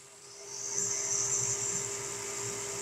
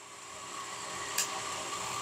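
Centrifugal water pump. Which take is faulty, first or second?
second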